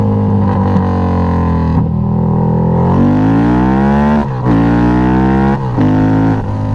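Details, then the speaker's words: Harley-Davidson Night Rod V-twin, 1130cc bored to 1250cc, Fitzgerald Motorsports Hellraiser cams, Power Vision tune, oil warm, test ride: deep even roar climbing through revs with dips at gear changes; strong clean pull, healthy. "so yeah you can see uh it's nice and fun now it sounds badass when you get on it i love it"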